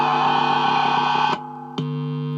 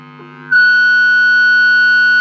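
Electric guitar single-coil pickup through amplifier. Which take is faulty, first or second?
second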